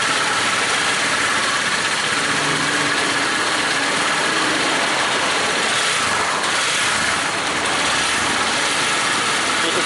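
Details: Honda CB150R after fixing a no-start (no fuel pump hum, no spark), just started: steady, even, hiss-heavy idle with no misses or knocks; running smoothly and healthy.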